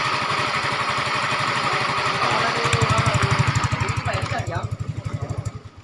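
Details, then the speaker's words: Yamaha Mio M3 / Fino 125 idle after fitting modified Honda Vario 125 piston (KWN, slightly higher compression): previously noisy engine now quiet; even steady putter with loud leaky exhaust, no knocking, then slows and shuts off cleanly. "kemarin suara Suaranya berisik ya sekarang udah adem lagi ya cuman ini knalpotnya ber bobokan ya untuk mesin jadi adem"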